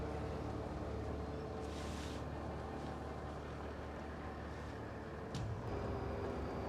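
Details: 80 Series LandCruiser on its first test drive after clutch, wheel bearing and rear diff work: a steady road rumble with a faint, uneven knock about three or four times a second from the rear. Wheel nuts weren't torqued; a nut fell off.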